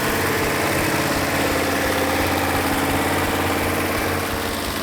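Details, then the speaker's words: Rebuilt 1971 Hemi Cuda V8, after timing and carburetor adjustment: steady, even idle with smooth lope, no pops or skips; all eight cylinders firing equally. "this case I had a perfect running engine all eight cylinders were firing equally"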